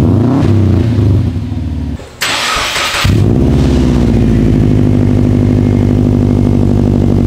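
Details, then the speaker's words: 2013 Subaru WRX after installing Invidia catted downpipe with cold air intake and stage 2 tune: brief crank, catches, smooth even idle with deeper exhaust note, not much louder; normal cold start and idle. "guys the car sounds great um it has it has a it's not much louder it just has a little bit different tone to it but I I like it I like it a lot"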